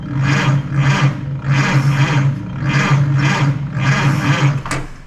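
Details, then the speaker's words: 1928 Ford Model A sedan stock four-cylinder with custom intake/exhaust manifold, starter test via floor button with ignition off, new under-floor electric fuel pump not yet feeding: steady low starter whir, even compression pulses about two per second, normal cranking. "She cranks. But I guess we gotta figure out this fuel pump now."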